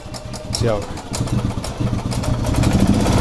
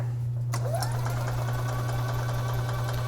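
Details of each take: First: 2011 EZ-GO TXT gas golf cart, reassembled with air filter hose refitted: the single-cylinder engine catches, then climbs to a high, steady buzz with the owner's governor set to maximum and left untouched. Engine runs normally. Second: 2011 EZGO TXT gas golf cart, crank-no-start in freezing weather with wet gas; the battery sounded weak. The starter cranks the engine to prime the fuel system into a container: a steady low drone with no firing.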